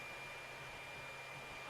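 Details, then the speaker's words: Tronxy X5S 3D printer, powered on but not printing or heating, stock 40 mm hot-end cooling fan: steady thin high-pitched whine over constant airy rush; noisy fan, to be replaced with a Noctua NF-A4x10 FLX. "basically it is as noisy as hell I know it's wanting to blast a lot of cooling air across the head so that it doesn't let the heat from the hot end get up to the top of the extruding area and"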